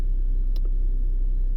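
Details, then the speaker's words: 2012 Scion iQ at idle: low uneven rumble, engine turning rough and idle dropping when electrical loads like the defogger switch on, worse in gear; owner suspects a short somewhere, not yet found. "But every time I turn something on, you can hear the engine just gets really rough. Like even when I turn on the defogger here, just a defogger,"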